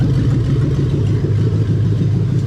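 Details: Lexus 3UZ-FE VVT-i V8 from a 2000–2003 LS430, fitted to an IS200 with a plug-and-play harness, J160 manual gearbox and remapped ECU: a deep, steady idle with an even pulse and no knocks or ticks.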